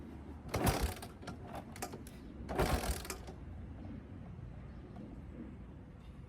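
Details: 1991 Honda TRX250X after a fuel leak fix, low on fuel and on reserve, possibly needing choke: two short bursts of the starter turning over the single cylinder with uneven beats, never catching. Owner suspects a bent wire from an aftermarket light. Cranks but won't start.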